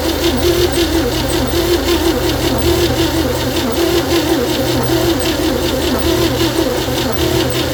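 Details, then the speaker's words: 1960 Chevy C10, 235 engine, after 40 years sitting, valves backed off a quarter turn, plugs cleaned; slow uneven cranking about once a second with weak firing pulses that never catch, spark confirmed. Owner suspects very weak compression. "Well, it's trying to fire. I think our compression is just so weak."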